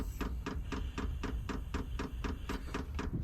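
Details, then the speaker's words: 5 kW diesel air heater fitted underneath a VW T5 Transporter, on first power-up and purge: light, crisp ticks at about four per second from the dosing pump as it primes fuel through the line. Normal. "You can hear the pump now. And that then just pumped a fuel through."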